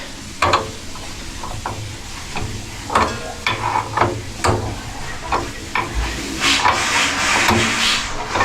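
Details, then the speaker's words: After installing a new water heater and refilling the tank, sink tap open: irregular spitting and hissing bursts about two a second as trapped air bleeds from the lines; done once air stops. "And then when you don't hear the air coming out, that's when you're good."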